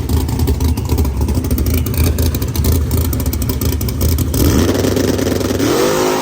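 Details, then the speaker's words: Drag car (Moonshine) held on the trans brake: engine stumbles and surges unevenly instead of building steady revs; data log shows the throttle position sensor failing, either over-rotated or a wiring issue. "our TPS was failing the minute I went on the trans brake that's why you hear it going the TPS was failing again"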